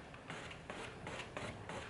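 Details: Yamaha motorcycle, front wheel off: quiet repeated scraping as the handlebars swing, from the radiator guard rubbing the triple clamp after crashes; fix is cutting the guard's edge off.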